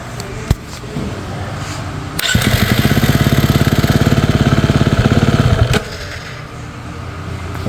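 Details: Dirt bike that repeatedly stalled on a desert ride, started after TPS adjustment with idle set around 2000: engine catches, runs a rough uneven beat about three seconds, then dies; stalling still unresolved, owner suspects idle needs raising as it warms.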